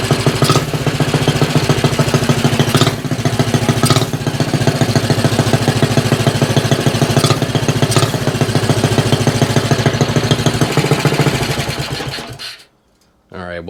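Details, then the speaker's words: Axis M200 mini bike, 196cc single, 22mm Mikuni carb, aftermarket exhaust, governor delete, cold start before rejetting: loud uneven stumbling chuffing before cutting out; rough rich idle with black smoke, mid-throttle flat spot. "thing I'm still struggling with on here, and that is this bike runs a bit rough."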